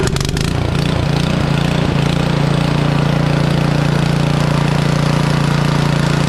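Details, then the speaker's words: Craftsman (Troy-Bilt/MTD) snow blower with Powermore engine and Huayi carburetor, sat a couple of years, after an ultrasonic carburetor clean and rebuild; started warm on choke without priming and holds a steady, even drone with no surging: normal running. "so we got this thing from not starting whatsoever leaking gas to back up and running in a"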